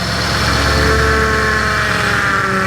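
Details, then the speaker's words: 2007–2021 2WD Toyota Tundra 4.6L V8 idling after power steering rack replacement and refill with transmission fluid, wheel turned lock to lock: wavering whine and groan shifting pitch with steering; air purging from the pump, no leaks. "And you can hear all that air working its way out of the pump."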